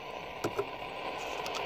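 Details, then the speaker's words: 1962 Zenith Trans-Oceanic 3000 radio after power supply jack repair, tuned to shortwave with volume turned up: even static hiss with brief pops, no stations received. Set works; the band is simply empty. "nothing much on shortwave anymore at least not in English I don't think anything runs on English in shortwave"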